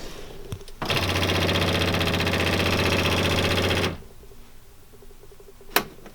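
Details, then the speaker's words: 2005 Polaris Ranger 500 UTV, cheap used buy not yet running; harsh rattly buzz about three seconds at key-on as fuel pump primes; owner suspects failing fuel pump, filter to be replaced. "didn't seem alarmed about that so maybe it's been doing it for a while but to me it sounds like the fuel pumps out"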